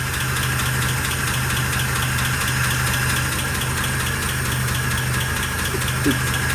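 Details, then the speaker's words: 1948 Pontiac Torpedo at start-up during restoration, cast iron head: steady low idle with a light, quick metallic tick from one valve, front three cylinders; fuel pump diaphragm also leaking. "One valve ticking. Yeah, it is a valve ticking."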